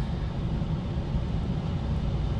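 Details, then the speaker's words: Full-size residential gas furnace on Bluetti EB3A power station: low, steady rushing air and smooth motor drone, no scraping or rattles; main blower ramping up normally, draw rising from 178 W to about 482 W. "let's see what happens when uh the the main blower turns on okay the blowers ramping up 178 218."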